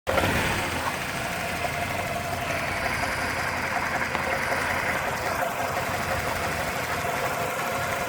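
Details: 2000 Ford Ranger 2.5L four-cylinder petrol idling with uneven stumbling beat as one cylinder drops out; misfire.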